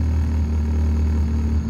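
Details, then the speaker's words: Honda Civic at operating temperature after adjusting the throttle body idle screw and removing a dirty PCV valve: steady, even low hum with no misses or surges, idling at about 1000 rpm and settling around 1100-1200 rpm with headlights on; normal idle. "the idle stays at a thousand i'm okay with the thousand turn the headlights it jumps up a little bit but then it settles back down to like 1100 1200 you see"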